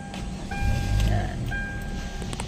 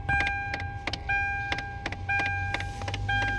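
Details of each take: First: Hyundai Tucson after replacing a faulty blend door aircon actuator: engine starts and settles into a smooth low rumble, no knocking from under the dashboard. Quiet dashboard, no actuator knocking. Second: Hyundai Tucson: sharp, uneven knocks, roughly one a second, from under the dashboard at ignition on, fading after a while; the cause is a failing aircon blend door actuator, which is to be replaced.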